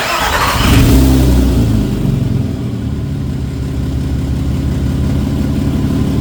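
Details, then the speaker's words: 1991 VW GTI with a freshly swapped 24v VR6, started after a bad starter relay was found: cranks and catches in about a second, flares briefly, then settles into a smooth, even idle, no knocks or misses. "I'll uh start it up real quick, just show you that it does in fact run."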